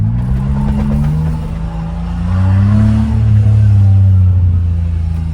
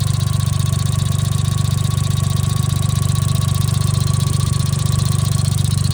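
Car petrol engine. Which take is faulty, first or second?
second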